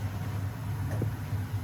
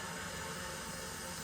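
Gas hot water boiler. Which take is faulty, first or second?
first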